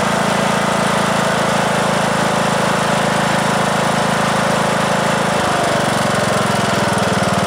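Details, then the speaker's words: 2003 Simplicity Regent lawn tractor, 19-year-old Briggs & Stratton single-cylinder engine, restarted after about 10 minutes of driving; smoke has cleared (owner suspects oil past piston rings from sitting); firing evenly at steady speed, runs fine. "all right seems to be running okay i uh i'm happy with that"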